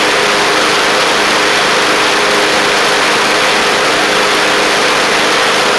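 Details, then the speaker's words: Craftsman LT1000 Briggs Intek engine after the carburetor was jetted out: a steady, even drone with a crisp firing beat and no misses or knocks. It runs sharp and, as far as can be told, is not wearing the belt during the ride test. "all right sound really good wasn't wearing the belt or anything from I can tell first safy yep running good after I jetted out that car it's running sharp now"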